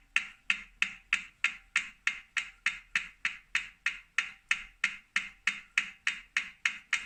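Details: 2018 Wahoo Kickr Core bike trainer, new and defective: sharp dry clicks inside the trainer, about three a second and evenly paced with each rotation; owner suspects a broken axle bearing or loose magnets, not confirmed.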